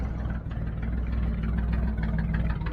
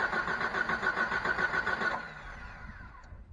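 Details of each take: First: 1989 Jeep with 4.2 L engine, sitting three years, restarted once fuel reached it, no coolant yet: steady low idle with even beat, no stumbles or misses; idling smoothly. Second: 1989 Jeep with a 4.2 engine, sitting three years after being run out of gas. Steady, even cranking for about two seconds with no firing. Owner suspects no fuel delivery, possibly a fuel pump with a dried diaphragm.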